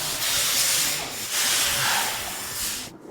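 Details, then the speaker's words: Boost Assault snowmobile driveline overhaul, lower chain case side driver bearing spun by hand after removal: dry gritty rasp in uneven bursts; bearing rough and worn out, smoked. "Woah, that one's toast, too. Lower the chain case side driver bearing, smoked."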